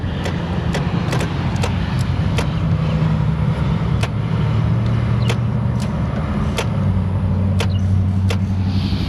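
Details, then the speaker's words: Chrysler Pacifica no-crank: the starter relay clicks repeatedly about every half second over traffic noise with no cranking; voltage to the motor is still to be checked. "Um but listen to this. This is the starter relay. I heard a starter making noise down there."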